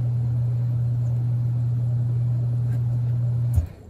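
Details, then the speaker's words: HVAC system with new float switch, switches wired in series: on raising the float the condenser stops, then the steady blower hum cuts off abruptly after about three and a half seconds; blower shutdown on float switch trip. "okay i don't know if y'all heard that or not but the blower did shut down that means the flow switch is working and they are tied in series not parallel which means it only takes one float switch to trip to shut the system down"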